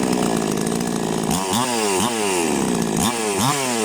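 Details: Chainsaw, brand new out of the box, that would not start before a fix: crisp two-stroke note revving cleanly in repeated bursts under cutting load and dropping back without stalling. Healthy running after the fix.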